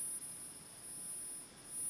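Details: RE-EMF charger built to charge 10–11 NiMH cells in series at about 15–16 V, around 300 mA, with magnet tuning; faint, steady high-pitched whine holding one pitch; coil whine, cause not pinned down.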